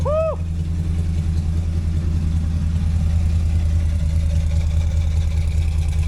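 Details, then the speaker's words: 1953 Ford truck V8, first run since 1994 with new junkyard side-pipe exhaust: deep, even burble at steady idle, no ticking or puffing from exhaust joints, not leaking; sounds healthy. "Oh, that sounds cherry. Oh, I love it. Look at him smiling. You like it? That sounds healthy."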